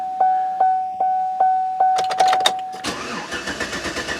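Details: Vehicle tested right after the starter was reinstalled and a sensor near it was installed: evenly spaced chime beeps, then about a second of fast starter cranking and a rough, ragged catch. It is hard to start, and the cause is not identified.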